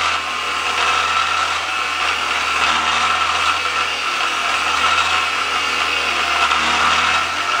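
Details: 7-inch grinder cutting a bar for a Datsun 521 ball joint plate: steady hissing drone with a faint high whine coming and going over the cut, from the grinder's ungreased bearings.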